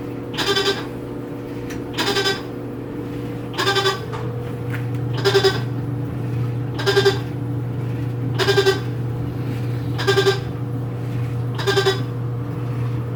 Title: Annoying and Strange noise that my new Whirlpool washing machine makes - Model WTW4816FW